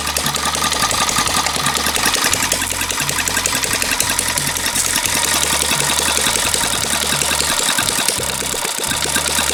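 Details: Long-unused small petrol water-pump engine, hard to start, finally started: fast, even buzzing beat at constant pace with no stumbles or surges; running smoothly and normally.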